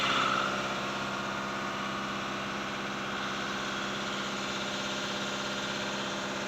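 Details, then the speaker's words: Skoda Rapid diesel after injector replacement: engine holds an even, slightly raised idle with steady clatter and no misses as the automatic injector adaptation routine starts, car revving by itself with brake and clutch released; normal. "मैं अपने आप गाड़ी race होने लगती है हुआ है कि यह रनिंग में है कि वे अपने आप होने लगी है"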